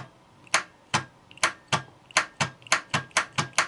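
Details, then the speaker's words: Starter test: solenoid engages with sharp dry clicks about three a second, but the motor never cranks and voltage barely drops, so the starter isn't seized. The cause may be the brush assembly or a broken winding. "Причина может быть или в щёточном узле или обрыв обмотки в стартере."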